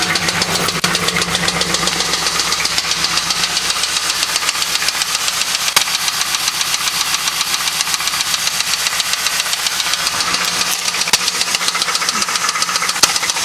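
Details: LS1 V8 at idle with sharp, steady metallic knocking, two to three per second, loud over the engine, heard the same night the car was bought; owner suspects a spun bearing, not confirmed.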